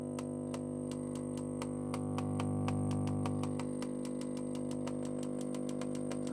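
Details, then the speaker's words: 1960 Philips 17TG100U 405-line black-and-white TV during repair: sharp snapping clicks about four a second over mains hum and line whistle, arcing with a flash atop the line output transformer; possibly the overwind. "oh there's a bit of a flash on top of that line output transformer so what's causing that i do hope it's not my overwind"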